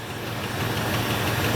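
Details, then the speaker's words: 1977 Ford F150 4x4 V8 barn-find truck, one owner, sat about 20 years, first run with fast idle off and coolant low: steady, even low rumble with no miss or knock, idling impressively smooth. "look how smooth that thing is wow that's impressive rer that's really impressive"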